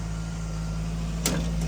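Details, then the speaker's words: Jeep petrol engine with valve noise, owner suspects a loose rocker arm after 2019 head gasket and pushrod work; idles a little high with steady low hum and a brief click midway. "or if we're just going to deal with it she's idling a little high"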